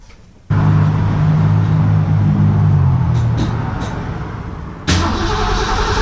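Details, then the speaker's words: 1967 Mustang 289 V8, first start after rebuild, timing not yet set. Steady cranking, coughs without catching. Plug wires fitted clockwise but distributor spins counterclockwise, so firing order reversed. "alright guys I'll be honest with you first fire up sucked recent being is I didn't pay much attention and the distributor on this tuning on spins counterclockwise well when I put the plug wires on I put them on clockwise so it's firing completely opposite of what I needed to"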